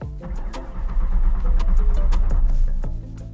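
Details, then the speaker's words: Mustang project build (600HP goal) during reassembly after reinstalling cleaned wiring harness and cooling system: starter cranks evenly, about three to four compressions a second, but never catches; crank no start, theft light on, electrical short suspected. "Oh, fire. Even though this didn't fire up, I like how it's going."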